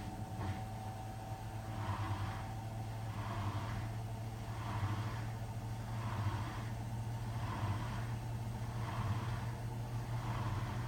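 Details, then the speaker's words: Hotpoint WMFUG 942 washing machine, Cotton standard 60 programme, after the drain pump problem was fixed: steady low pump hum with a gurgle about every second and a half as the last water pumps out; drain pump working normally. "There you go, can you hear it there? See it just pumped that last bit of water out?"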